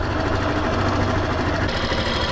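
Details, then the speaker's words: Factor 2022 motorcycle, about 55,000 km, after valve adjustment (intake set to 10), recorded stationary with mic close; smooth, even idle with steady low thrum and no top-end ticking, much improved over the earlier noise. "pr ouvir bem o barulho ah melhorou bastante só montar entregar a Rapaziada"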